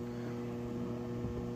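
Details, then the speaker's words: Hydraulics charging on a lowrider 1991 Chevy S10 2.5-liter minitruck during radiator replacement: low, steady electric hum with no surges or grinding; the hydraulic pump is charging normally. "noise you're hearing by the way is the hydraulics charging so just pretend it's a cool noise"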